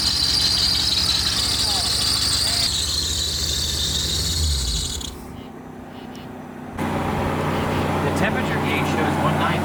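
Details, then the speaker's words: High, shrill squeal over a running engine that fades briefly and returns, from the front of the engine; source still unknown. "No, the squealing is coming from up here somewhere. We got a new belt."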